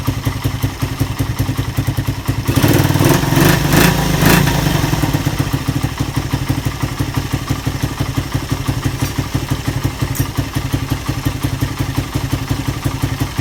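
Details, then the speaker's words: Suzuki Satria FU after repairing lost compression caused by a badly leaking valve oil seal, with a new piston fitted: a steady, even single-cylinder idle with one rev blip settling cleanly; it sounds smooth. "piston baru ya Tapi udah Kak berasap Kalau juga dia berasap halus banget suaranya ya"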